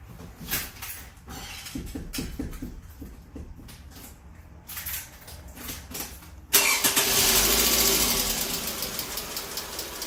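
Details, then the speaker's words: 2008 Toyota Camry 2.4 petrol engine cranks and settles into a loud rattly idle with a busy hissing edge; noise suspected from below, ignition coils removed next to investigate. "hi I've us MIT as a sir I want to show you how to fix the engine noise on Toyota Camry this is a 2008 Alice PBT ID model"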